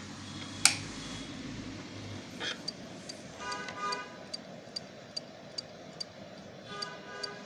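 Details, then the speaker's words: Hard disk powered from a shorted-on power supply: sharp regular clock-like ticking about two and a half per second after power-up, with a beep; fault suspected in logic board or head: hard drive clicking. "दोस्तों आपको आवाज सुनाई दे रही होगी टिक टिक जैसे घड़ी की आवाज होती है घड़ी चलने की आवाज होती है वैसे ही इसमें आवाज आ रही है"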